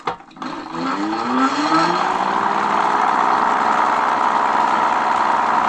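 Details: Mate X 20x4 fat-tyre e-bike geared hub motor after adding more grease: rising whine settling into steady mid-pitched gear hum, noticeably quieter than before but still noisy; fault not fixed.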